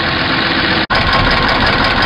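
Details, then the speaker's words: Petrol engine idling with a light, fast lifter tap after running with a Motor Medic oil flush added; noise quieted significantly but not gone, owner plans to pull and check lifters; engine doesn't smoke. "it did quiet it down significantly it's a lot lot better if you just got a minor little tap it's probably gonna work for you"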